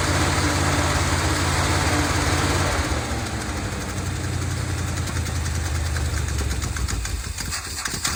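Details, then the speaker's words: 1970 Dodge D200 V8 truck, received as a gift, started on brake cleaner: catches and runs loud but uneven, with the low beat wavering and sagging instead of settling. Running rough; owner suspects a vacuum leak from the many vacuum hoses plugged off with screws. "all right could be caused by a vacuum leak of some sorts and there's plenty of vacuum hoses back here that's been plugged off by screws"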